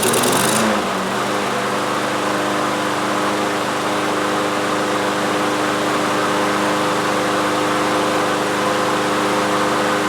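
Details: Troy-Bilt TB360 mower with Briggs & Stratton Quantum engine, unused three years, after cleaning the main carburetor jet, air cleaner off; catches within a second and settles into a steady, even buzzing run with no misses or surging; normal running.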